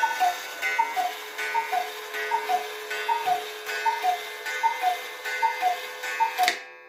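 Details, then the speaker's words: Restored Hubert Herr Black Forest cuckoo clock, movement and broken bellow fixed, running on a temporary pendulum from a Romanian cuckoo clock: clean, even two-note cuckoo calls over a soft steady tick; movement and bellows working normally. "It keeps reasonably good time and it cuckoos just as it should."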